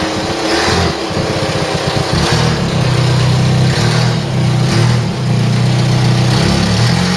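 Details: Ford Mk3 Cortina, sat in a field since 1983, running after charging up, filing the points and pumping the accelerator; strong, steady, even beat with light revving, no knocks or misses; won't die, sounds healthy.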